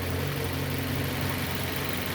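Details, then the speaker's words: 2006 Nissan Y11 AD, QG15 e-throttle engine at normal idle after leaving scan-tool VVT actuation; intake valve timing reads between 0 and 1. Deep, steady idle, even low rumble, no stumbles, knocks or ticks: healthy normal idle. "Right, so I'm going to come out of this mode so the vehicle could idle normal, and we'll see where it sits at normal idle operation."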